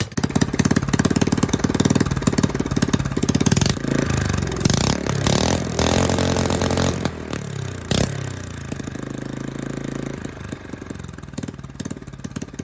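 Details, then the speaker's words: Rebuilt Honda 5.5 hp single-cylinder in a mini three-wheeler, sat outside ~3 years, with bent push rods, new carburetor, coil and plug, choke off: revs surge and sag, uneven firing; rough idle, not fully right. "so when you turn the choke off it still is rough but it was idle"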